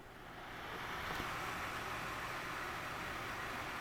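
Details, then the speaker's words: Country Hearth 2500 wood stove rear blower fan, cleaned, running at maximum speed: a smooth, even rush of air builds and holds steady with no squeak or rattle; quiet and healthy. "So as you can see, it's nice and quiet, and it is putting out, let's see if I have anything handy here that I could show you how much air it's blowing out."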